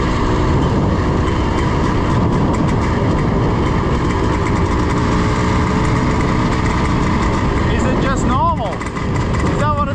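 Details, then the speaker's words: Yamaha IT490 two-stroke cafe racer project getting really hot; the owner says it is detonating very early, though it runs nicely stone cold. A loud, busy note with a rattly knock under the exhaust at light throttle: detonation knock when hot. "it's getting really hot it's starting to detonate and it's starting to detonate very early"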